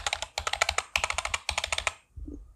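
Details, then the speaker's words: Amkette EvoFox FireBlade membrane keyboard before lubing: fast, sharp, clattery keystrokes with bright rattle from dry key stems and loose stabilizers. "These stabilizers are the worst kind, really. That's why membrane keyboards rattle so much."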